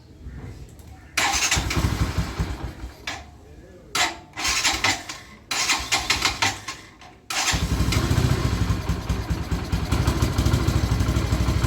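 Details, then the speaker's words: 2020 Bajaj Boxer X150 motorcycle restarted in neutral right after oil and oil-filter cover ring change: cranks, catches, surges and cuts out in uneven bursts, then rougher idle and engine stops; owner attributes it to electronics sensing fault after oil fully drained. "you can hear clearly, you will see there is a change of how the engine is rolling. Now the engine is off."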